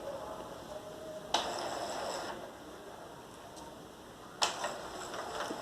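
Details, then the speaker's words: Epson L210-series printer after refitting a carriage tensor that had come out (cause of noise and all-lights error): two smooth whirring carriage sweeps at power-on, no grinding, normal initialization. "ya vamos a ver ahí que apagamos y encendemos y el equipo ya va a hacer el trabajo que es correctamente vemos el carro desplazándose a izquierda desplazándose a derecha"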